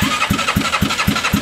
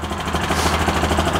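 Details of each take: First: Bennche 500 (Hisun) UTV engine with knocking and smoking complaint: even chuffing about four per second, turning over but never catching; no spark because the plug cap was knocked off. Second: Bennche 500 (Hisun) UTV after clutch work, in neutral, foot on brake, clutches sitting still: steady even idle with soft regular pulse about three beats a second, no knocks or rattles; normal idle.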